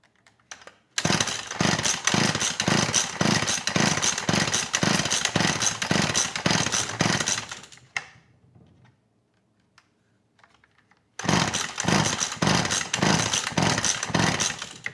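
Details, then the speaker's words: McCulloch Eager Beaver 2.0 CID two-stroke chainsaw, carb previously cleaned and rebuilt by owner, choke on, ignition on, fuel in tank; rapid pull-cord cranking with compression felt good but no firing: cranks but will not start. "yeah i get nothing from this engine feels like the compression's good"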